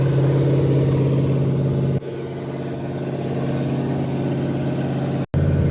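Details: Ford F100 with a 302 V8 and Comp 268H cam during cam break-in, through open pipes: loud, lumpy but steady raised idle with no knocks or ticks. The oil pressure gauge is not working, oil looks milky, and the engine is getting warm. Normal fast idle.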